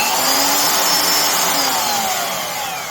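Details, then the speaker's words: Craftsman (Skil-built) 14 A 1680 W router after bearing pretension fix, on the table: soft start, high whine climbs smoothly to speed then coasts down with no rumble or grinding; normal soft start, bearings healthy. "So this does at least have a soft start,"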